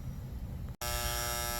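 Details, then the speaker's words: 2012 Carrier heat pump condenser not cooling, tenants reported buzzing; after repairs and the contactor delay, a sharp, steady electrical buzz continues once the contactor pulls in; tech is unsure of the cause and left it since the unit powers up and runs. "contactor pulled in this thing's still buzzing I don't know"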